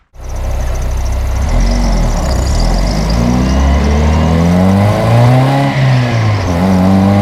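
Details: 1995 Toyota Corolla wagon, 1.8L 4-cylinder, daily driven: engine revs up and down with a faint whirring whine tracking speed; alternator bearings going bad, alternator to be replaced.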